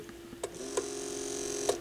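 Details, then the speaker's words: Pioneer PL-707 turntable during belt service: steady motor hum with thin high whine and dry ticks and rattles; noise traced to the drive motor itself. "okay I think I found the source of the noise but it's not going to be something that I'm going to probably well maybe I can maybe I can do something about it it's the motor"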